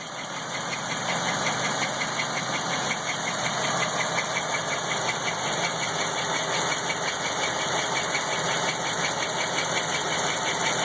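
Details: LT1 engine at idle with a couple small revs: steady light tick, roughly three per second, over a hissy idle; unknown ticking noise, cause not determined.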